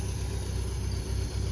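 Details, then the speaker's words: 1973 MGB sitting 20 years, idling after carb balancing (both at eight) and idle lowered: low, steady burble, even beat, no stumbles or ticking; smoke cleared, running really smooth, mixture may need slight adjustment. "I think this thing is ready to hit the road test it out smoke has cleaned up no more of that it's just sitting here idling yeah it seems to be running really smooth"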